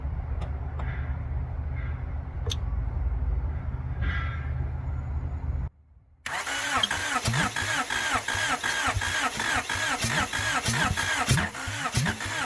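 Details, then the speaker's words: Honda Prelude engine after head work, first start after sitting four years, exhaust not bolted up: lumpy stumbling running then cranking without catching; likely flooded, plug leads possibly in wrong firing order. "it sounded like it was gonna fire but then it didn't they all in here I don't know if I got the right things in the right holes I forgot to look up the firing order"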